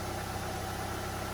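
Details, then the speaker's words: Audi A2 on its first start right after a service with an oil change, new oil filter, air filter and spark plugs. It started immediately and runs an even, steady idle with a smooth low hum and a small rev, with no knocks, misses or funny noises; normal running. "Not making any funny noises. Started immediately. Sounds good."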